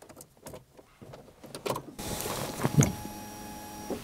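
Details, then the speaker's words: Car rescued from scrapyard, key-on after pressing the red button and electrically actuating the fuel pump, before a start attempt: steady electric whir for about two seconds then clean cutoff; normal fuel pump priming. "Il y a eu un bruit de pompe, écoutez. Je sais pas si on l'entendra. Ah putain, il y a eu un bruit de pompe. Bon signe."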